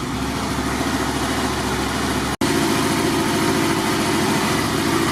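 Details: Motorcycle with 22,000 miles catches and settles into a steady, even idle with a smooth low beat and no knocks or rattles; battery reads 13.89 V DC while running, so it is charging: healthy.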